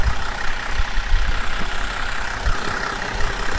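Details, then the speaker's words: Ex-police Holden VZ Commodore, warm engine idling: harsh diesel-like clatter over steady rumble that worsens as it runs and mostly goes away after restart; owner suspects oil sludge, cause not confirmed. "she's already starting to sound a bit like a Commodore diesel and it gets worse and worse and worse apparently"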